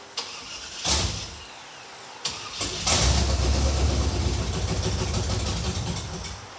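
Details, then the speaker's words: Roadkill project car, primed: short cranking bursts with brief catches, then a ragged run; crank no start from fuel starvation, thought to be the mechanical fuel pump not picking up gasoline because of a subtle air leak at the fuel filter. "what we think just happened is that the mechanical fuel pump is not picking up gasoline from the tank because there's a Le right here at the fuel filter which is really subtle"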